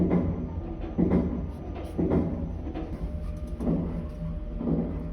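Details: Elevator car knocking while travelling: dull thuds about once a second over a low hum; cause unknown.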